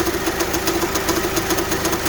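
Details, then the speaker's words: Honda idling, steering turned left: steady droning hum and fast light ticking from worn power steering pump bearings; pump not pumping enough fluid, hard steering and clunks when turning, pump to be replaced. "can clearly hear the bearings even though you push the steering uh you turn this turn to the left the pump is not helping the steering so the pump is not pumping enough fluid"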